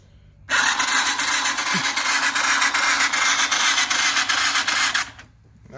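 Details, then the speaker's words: 2015 Bashan Storm 250 cranked by jump pack, bridging starter terminals with a tool: steady fast even whirring crank about four and a half seconds, no grinding; starter turns engine properly, spark present. "she's turning over good see if she's still getting spark"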